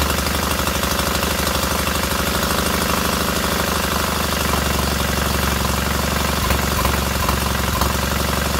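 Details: Freshly rebuilt K750 twin on first start-up, after a minor ignition fault stopped an earlier attempt: steady, even beat from both cylinders over the exhaust note, no misses or knocks, both heating equally; clean, normal idle.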